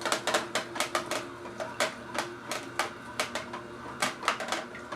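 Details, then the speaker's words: Omega VSJ843 vertical slow juicer juicing carrots with apple: rapid, irregular crunching as the carrot is ground up, with no binding, stalling or labouring; it is working normally. "You can really hear it grinding up, huh?"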